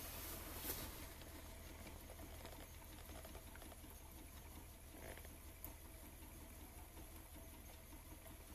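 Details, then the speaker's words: Modified Warpfive propane-fired, water-cooled Stirling engine generator with propane switched off: quiet soft pulsing with a gentle low rhythm gradually easing as the engine coasts down and pilot lights dim; normal run-down. "if we switch the propane off hear the engine's slowing down and the pilot lights start dimming"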